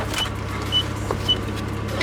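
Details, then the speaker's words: 1986 Nissan Sunrader camper with its second replacement Z24 engine, just picked up from the mechanic: low, even hum holds steady without knocks, misses or surging, a smooth normal idle. "so I have my little place back and it is running it's running nice"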